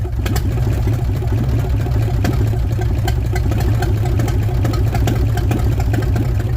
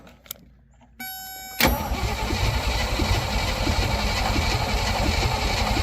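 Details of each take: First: Willys Jeep, forgotten and sitting for many years, fed gas poured into the vent before the fuel pump is hooked up. Old four-cylinder catches and chugs steadily about nine seconds, then dies. Engine running after long storage. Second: Willys CJ5 (around 1971) with AMC 304, sat for years, gas poured down the carb: short starter bump then steady cranking about four turns a second, never fires; spark not confirmed, consistent with no spark.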